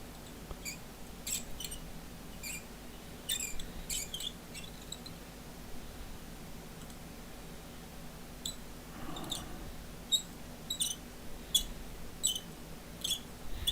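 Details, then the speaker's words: Bakelite phone rotary dial with severe corrosion and possibly a failed spring: irregular high-pitched squeaks and chirps in short bursts as the dial turns and returns; badly squeaking dial, cause suspected, not confirmed. "can you hear it squeaky it's very very bad all right"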